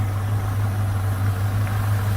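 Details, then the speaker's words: 1971 Dodge Coronet police car, 383 four-barrel big-block V8, first run under its own power after fuel tank, line and pump work: steady, deep, even idle with no misses or knocks. Afterwards slight smoke from the driver's pipe (number eight cylinder, possibly stuck rings). "she drove outside under own power [Music] idling really nice"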